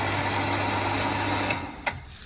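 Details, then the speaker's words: New smart pressure water pump, installed at home on PVC pipe, not yet bolted down, running with cover off: even motor hum with light whir, then shuts off with a small click; normal, healthy operation. "And this is what the uh pump sounds like in operation."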